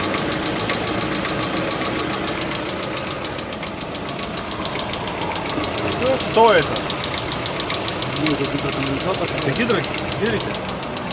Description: Стук гидрокомпенсатора, Lada Vesta 2016, признано заводом как норма!